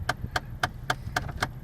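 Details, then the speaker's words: Chevrolet Cavalier bought sight unseen from Copart, while idling: sharp, evenly spaced clicks, about four a second, from the dash, plus a popping sound. Owner suspects a faulty HVAC mixer door; not confirmed. "sounds like we might have a mixer door acting up so okay that might not be too bad of a deal popping sound okay well a couple of issues so far"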